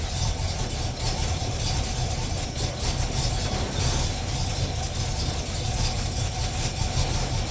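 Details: Chevy 350 V8 truck after new intake manifold gaskets and a new fan clutch, first start using choke and left to warm up: smooth, even, deep idle with no ticks or puffing; running fine.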